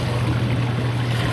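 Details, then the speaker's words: Dishwasher drain cycle: drain pump motor hums steadily but no water drains, even with the drain line cleared and disconnected into a bucket. "it doesn't drain at all it just hums cleared out the line they took the drain part that's what's going on"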